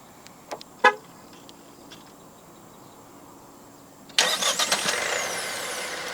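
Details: 2024 Proton S70 1.5T Executive (1.5 L JLH-3G15T turbo petrol, 7-speed DCT), started with the remote engine start: one short horn chirp, then a brief crank catches cleanly and settles to a smooth, steady fast idle; a normal, healthy start.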